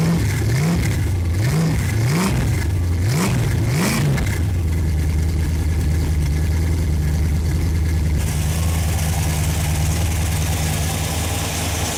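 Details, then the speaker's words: Freshly rebuilt Ford FE 390 V8, cold start: rising starter whir with brief metallic skipping as it catches and the Bendix disengages, then a steady good-sounding idle; owner suspects poor clearance between starter Bendix gear and flywheel. "I got a little bit of a chatter. Sounds like it's coming from maybe the starter Bendix. It looks like my clearances aren't very good between the Bendix gear and the flywheel."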